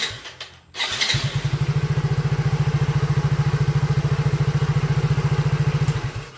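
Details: Soul GT (old) motorcycle after fixing fault where electric starter, turn signals and horn died together; brief crank then engine catches at once into steady, even, rapid idle; normal electric start.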